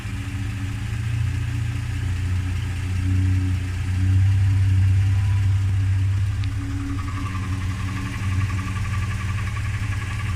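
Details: Toyota Land Cruiser / Lexus LX450 idling: faint, fairly regular light knock about three or four a second from the engine bay, goes away when the wheels are turned; owner suspects power steering pump, not confirmed.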